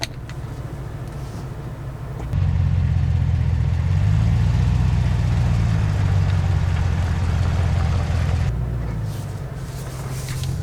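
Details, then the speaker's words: 2022 Chevrolet Silverado ZR2 with a 2-inch level kit and 35-inch tires, creeping at full left lock: a low, even engine rumble with no scraping or tire rub on that side, although the tires do rub at full right lock. "okay so I think it's only rubbing on one side so that's definitely improved with the level cuz it was rubbing uh much"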